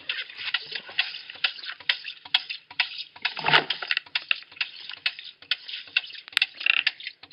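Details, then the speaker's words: Rife Davy 2 ram pump housed in an insulated cinder-block enclosure by a pond, spring-fed drive pipe: sharp, crisp water-hammer clicks about twice a second from the waste valve with water sloshing; cycling normally. "As we draw nearer, you can hear the water hammer in action. We are down at the pond where the ram pump is housed. You can hear it clicking away."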